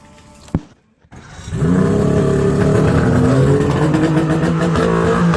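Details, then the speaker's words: Mercury outboard on water muffs after new fuel-water separator and new plugs: catches after brief crank, settles into fast slightly uneven idle on high idle choke, pitch wavering; idle needs adjusting. "h H might need to adjust the uh idle"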